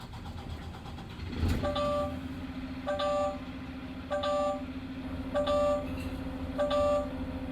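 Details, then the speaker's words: Diesel truck restarted after the CDL low air warning and spring brake activation test, building air pressure until the relief valve pops. Starter catches into a smooth steady idle, with a warning beep about once a second; a healthy start. "I'm now going to start my truck up, build up air pressure till my relief valve goes off."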